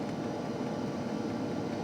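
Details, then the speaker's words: New Hcalory Toolbox Compact 2s diesel heater warming up, exhaust not yet fully hot, mic right at the unit; steady even whoosh of blower and burner with a smooth hum, fuel pump ticking gone; running normally. "And now that fuel pump is quiet. Listen. You don't even hear that fuel pump no more."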